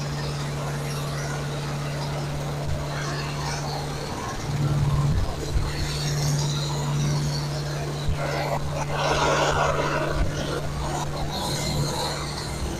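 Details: Camshaft break-in on a fresh engine build, fast idle around 2000 rpm, no temperature gauge: steady, even hum with no knocks or ticks, a bit of handling noise; engine running healthy.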